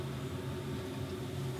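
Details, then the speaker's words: Heathkit W5M tube amp on a variac, right side up, gives steady low mains hum from an open filter capacitor connection that lifts and hangs, leaving AC unfiltered; no hum on side or upside down. "But when you put it right side up, these would hang, and a lot of hum because you weren't filtering out all that AC."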